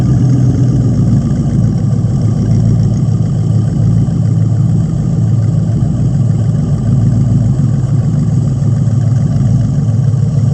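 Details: 1999 Corvette LS1 V8 pallet drop-in kit with about 154,000 miles, with its own harness, ECU and fuel tank: deep, steady V8 burble with even low rumble and smooth throttle blips, no knocks or ticks; normal idle and revving.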